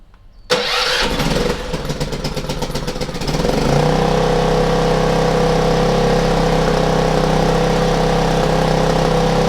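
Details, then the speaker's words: Generator with dead battery, serviced and refueled after sitting empty, started on choke: a few seconds of rapid cranking, then it fires and settles into a steady, even drone; starts and runs healthy. "all right it's alive that's alive ziggy good just marvelous"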